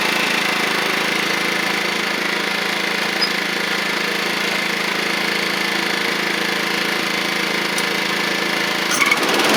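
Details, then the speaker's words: Toro Proline walk-behind mower with Kohler Command engine after new blade: steady even buzzing drone at constant speed with no misses or knocks; running smoothly. "I'll show you how this is going to work. Should work pretty well for us. I'll crank it up for us first."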